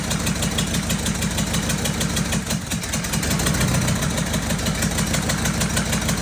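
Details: Freshly fitted, bled diesel engine in a cheap recovery truck clatters at idle with an uneven helicopter-like chopping beat; a couple of injectors removed for new seals and refitted were found damaged, causing injector knock.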